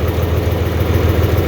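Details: 4020 LP propane tractor idling. Steady, even low throb at roughly ten pulses a second with no misses or knocks. A clean, healthy idle.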